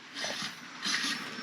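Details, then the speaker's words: Lectric 3.0 e-bike disc brake, microphone close to a hand-spun wheel: a light metallic scrape about once per turn as the rotor rubs the pad, which causes loud squeaking when braking. "I'm getting you close to try and see if you can hear metal scraping every time that it goes by"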